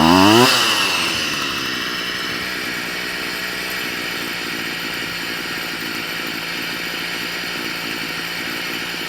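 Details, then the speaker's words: Stihl FS38 two-stroke strimmer during carb tuning: revving burst drops into a steady, fast, buzzy idle still slightly high, keeping the head turning; idle screw being tweaked down until the head stops. "I've got the strimer up and running it's iding a bit too fast now because uh the head of the strimmer is spinning so I'm just going to knock that down a touch give a little tweak"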